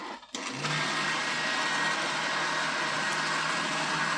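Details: Slush Puppie slush machine after its no-spin repair, running with ice and salt loaded. A steady, even motor whir with a low hum underneath at constant speed, no knocking or grinding; healthy.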